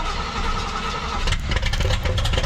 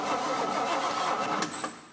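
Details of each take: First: 1968 GMC half-ton pickup V8, carbureted, first start in about 20 years after fixing carburetor leak; fast steady idle about 1100 rpm, roughly 300 rpm too high, vacuum leaks suspected; high oil pressure. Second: 1968 GMC half-ton pickup, disassembled and unused for about 20 years, with black oil. The starter turns the engine over steadily and the tach shows 500–700 rpm, but it never fires: normal cranking, no start.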